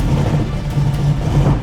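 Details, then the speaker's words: 1969 Ford Mustang V8, first start after many years on a restored carburettor with a temporary jumped battery: deep, even rumble, smooth and holding idle with no misses, knocks or hunting. "Oh my god. It runs smooth. It's holding idle."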